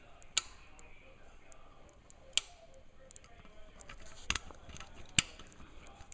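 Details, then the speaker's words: 2008 Kawasaki ZX6R cam chain tensioner being installed after valve clearance shim adjustment; sharp, irregular metallic clicks of the plunger ratchet in a quiet room; normal tensioner operation. "And now I'm just going to install the cam chain tensioner bolt, and as I shove this in, you will hear the ratchet."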